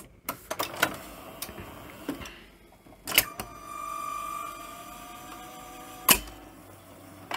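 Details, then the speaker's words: Philips N1700 VCR Long Play video recorder, mucky inside, on a second cassette: steady motor whir, then clunks and cuts out repeatedly, the transport keeps stopping; suspected belts or a head servo issue, and the heads show no picture. "maybe it is the cassette oh it keeps wanting to stop"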